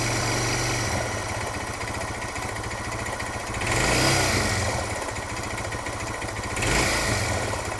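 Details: Suzuki DR650 single, uneven clatter through thumping idle in neutral persisting through two throttle blips; long-standing, fades on deceleration, returns at low revs; valve clearance and cam chain tensioner checked, cause unknown.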